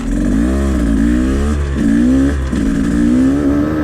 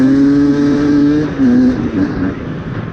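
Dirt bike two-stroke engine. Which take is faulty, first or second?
first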